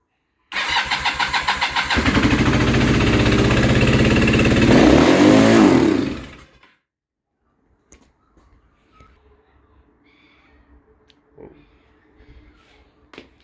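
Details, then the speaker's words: Kawasaki KZ440 project bike on freshly charged spare battery, choke unintentionally on: cranks then catches with loud, ragged, uneven firing for about four seconds before cutting out; owner suspects flooding or carbs out of sync. "That was so that happened because either there was too much fuel in the engine or the carbs are just wildly out of sync now. Oh, and also the choke was on."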